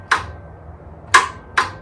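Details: 2024 Chinese stand-behind skid steer after a fuse was replaced with a 30 amp one: three sharp, unevenly spaced clicks with no cranking, and starting is delayed. It clicks without turning over; the owner suspects a weakening starter, not confirmed.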